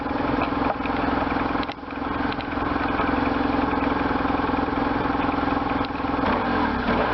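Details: 1998 BMW R1100RT boxer twin, first run after restoration, throttle bodies not yet tuned, bodywork off: catches and settles into even steady beat with a few throttle blips; runs cleanly, no odd knocks.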